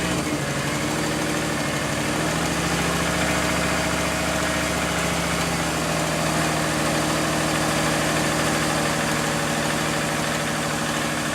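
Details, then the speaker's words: Subaru boxer engine at warm idle: dull, regular knock about three per second under the idle. Owner suspects early rod knock, before adding Lucas Oil Stabilizer. "But yeah, that sounds very early rod knock to me."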